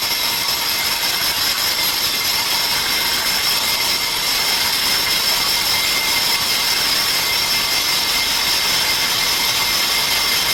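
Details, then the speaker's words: 1948 Chevrolet brake drum on a drum lathe: a steady harsh hiss and scrape with ringing high tones as the cutting bit is fed to the outside of the drum for a rough cut. Normal cutting. "Okay, now I'm going to run the cutting bit all the way to the outside of the drum. And you'll hear it bottom out against the wall. This is my feed. I'm going to do a rough cut."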